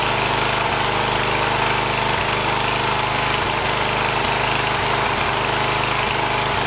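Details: 1980 John Deere 212 lawn tractor's single-cylinder engine, after replacing the leaking crank seal, on a cold day: a steady, even putter at idle with no misses, knocks or rattles, running healthy with no leak seen.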